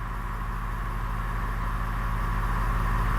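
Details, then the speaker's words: 2021 Ford F-250 Super Duty with Firestone Air Command standard-duty compressor filling air bags toward a 60 PSI target at idle: steady droning pump with fast even pulse, slowly rising in loudness; normal run. "So once that's set, compressor kicks on, and you're going to see this slowly raise up until it reaches its target pressure."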